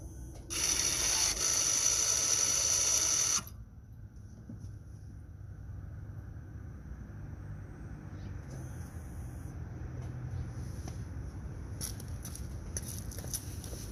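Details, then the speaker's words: Mazda CX-5 electronic parking brake set to maintenance mode before rear pad and rotor replacement, microphone right next to the rear caliper motor: high, steady electric whir about three seconds, then stops as the motor retracts normally. "I'm going to put this camera with the sound right next to the caliper motor so you can hear it when I disengage and put in maintenance mode the rear brake caliper motor."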